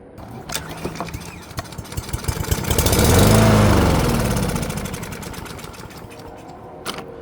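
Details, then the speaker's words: Brand-new push lawn mower with plastic carburetor, spark confirmed: engine catches on sprayed brake cleaner, swells briefly then fades and dies; runs only on sprayed fuel, fuel starvation from a clogged carburetor jet, carb then removed and rebuilt. "It's just burning the fuel that I just sprayed into it. So, it's So, something's going on in the carburetor."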